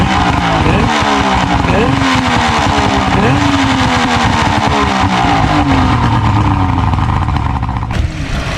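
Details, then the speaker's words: 70hp Johnson outboard on a Nitro 165TL bass boat, run on a water hose after the lines were cleaned and hooked to good fuel: loud steady buzz rising and falling smoothly with throttle, no stumbling; running much better than before. "sounds like she's running a whole lot better now than she uh than she was before."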